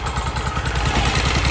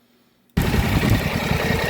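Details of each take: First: 2024 Polaris Sportsman 1000 idling in deep water with the plug submerged: idle drops from about 1300 to 1200 rpm with an uneven, stumbling beat as one cylinder misses badly; misfire from spark plug wire arcing. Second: 2024 Polaris Sportsman 1000 twin with known plug-wire arcing water misfire: loping idle two to three pulses a second, holding steady.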